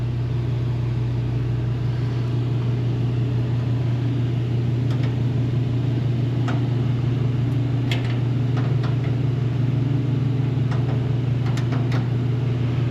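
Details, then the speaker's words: One-year-old Mr Heater Big Maxx heater on its replacement motor and fan: a steady low hum with a heavy shaking drone, the power cord shaking wildly. The owner suspects a bent fan blade and tries loosening the rubber-washer mounts, unconfirmed. "yeah that's vibrating like crazy look at this electric line it's like all over the place and that's vibrating what it's attached to this thing's going to shake itself apart"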